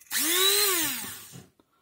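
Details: Promotec PM 590 blender that would not switch on, power switch contacts bridged by hand: the motor whirs up to speed, holds about a second and winds down smoothly with no grinding; the fault is a melted switch button.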